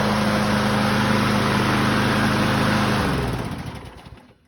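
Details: 2004 Craftsman 917.374430 mower, B&S 6.75 HP (125K02-0371-E1) primer engine, after repairs: smooth, steady buzz without hunting or surging, then winds down cleanly at shutoff; normal running.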